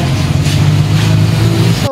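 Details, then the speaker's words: Bajaj CT125 after repair, owner's complaint having been excessive noise with ticking and clanging: steady, even single-cylinder idle with a smooth low beat and no chain clatter or clanging; the engine now sounds healthy. "Ayan tapos na pong napaandar maganda na po yung tunog niya"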